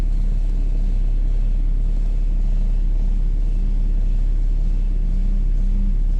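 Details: BMW F11 530xd (2011), N57 diesel at 367,000 km: deep, dull knock about three times a second under the idle rumble; connecting-rod bearing knock.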